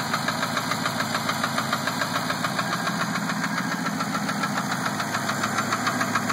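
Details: Steady, sharp mechanical tick at about three and a half per second over the running engine; engine ticking, cause not identified.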